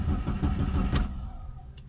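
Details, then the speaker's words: Mitsubishi Lancer cranks but won't start with the engine light on: quick, even starter pulses, then a click; faulty camshaft position sensor. "ये स्टार्ट नहीं होगा, ये क्योंकि इसका सेंसर ख़राब है।"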